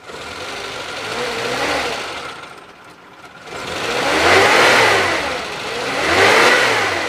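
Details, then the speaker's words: 1996 Suzuki Carry Carreta 1.0 Adiputro minibus engine revved twice after a smooth idle: revs climb and fall smoothly, with no metallic knock or rattle and no fan belt squeal. Normal revving. "Kalau kita geber juga suaranya masih aman, nggak ada suara ciri-ciri metal."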